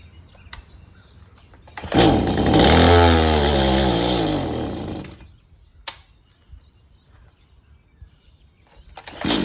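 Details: Stihl MS180C chainsaw with a new spark plug: it fires and revs briefly, then bogs and dies when given gas; the carburetor metering diaphragm was found stiff, starving it of fuel.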